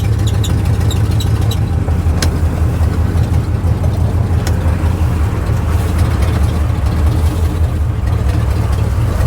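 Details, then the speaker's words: 1970s Chevy square-body pickup, a barn-revival daily driver, idling with an even low rumble and no knocks, misses or ticks after transmission fluid was topped up from nearly empty. Sounds good. "How's that sound to you guys? Good. Sounds good to me."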